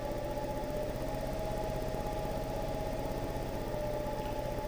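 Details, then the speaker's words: Wood lathe truing an unbalanced elm bowl blank, speed raised from the slowest setting to 800 RPM: steady motor hum carrying a fast, even throb matching spindle speed. Off-balance blank is shaking the lathe. "Now I'm at, the lathe start to shake a little bit. Now I'm at 800 RPM."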